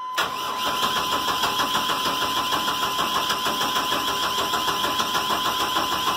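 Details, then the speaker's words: Chevrolet 1500 4.3 (owner says 86), brake cleaner sprayed into intake: even cranking about three turns a second, never fires even on the spray; owner now suspects no spark. "Give it the big gulp, just to be sure. Might have a no spark problem here."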